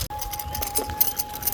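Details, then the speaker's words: Gravel bike ridden on a rough field road near the end of an ~80 km ride: a thin, steady high squeak under the gravel rattle from the rear hub gasket/seal, dry and rubbing, sounding about to fail. "As you can hear, my rear hub gasket squeaks like it was about to die."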